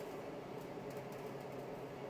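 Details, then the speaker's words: Bosch tumble dryer after replacing the motor controller board for a no-spin fault: soft, steady, even hum with no knocks, scrapes or rattles as the drum turns smoothly; fault fixed, dryer working normally. "so now it's working so that should fix your issue"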